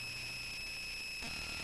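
Constant high-pitched whine with a fainter hum underneath that never changes; it sounds like electrical noise leaking into the audio output. Cause suspected, not confirmed.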